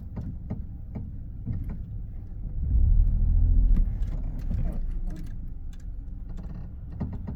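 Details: Ford B-Max: irregular creaks and light knocks over a low engine rumble, with a brief rev in the middle; the creak's origin is unknown.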